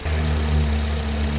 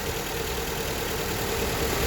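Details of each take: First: Honda Accord after replacing two faulty ignition coils (cylinders one and two) with second-hand coils: steady, even idle, no shaking or misfire. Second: Honda Accord petrol engine idling with heavy shaking and an uneven, lumpy rumble; pulling coils shows no change on cylinders 1 and 2, so those cylinders aren't firing and cause the misfire.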